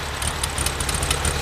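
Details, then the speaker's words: VW 1600 dual-port flat-four freshly rebuilt with a small Engle racing cam: deep, throaty, slightly fast idle with steady even pulse, no knocks or misses; normal idle. "So that's what it sounds like after spending last week rebuilding this engine and installing it in there."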